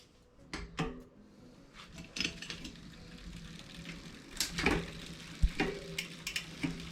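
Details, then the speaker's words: 2020 Specialized Fuse 27.5+ with Shimano Deore Shadow Plus 10-speed rear derailleur, H limit screw deliberately overtightened: scattered metallic clicks and ratchety chatter when shifting up; chain rubbing the adjacent cog. "Continue tightening until you hear noises when you shift up to the next gear."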